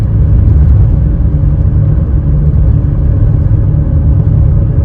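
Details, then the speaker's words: 2WD 2005 Nissan Elgrand 3.5, recorded inside the moving van before repair: a steady deep drone from worn wheel bearings, mainly the front; fixed by replacing front wheel bearings along with brake pads. "i have a set for all round but front seem to be where the main noise is coming from"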